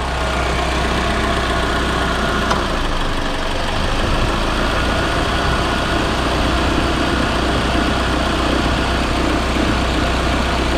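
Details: Proton Inspira (Lancer 08), one week after replacing the belt tensioner, idler pulleys and V-belt: a smooth, even idle with a steady low hum and no squeal, chirp or rattle from the belt drive. Normal idle.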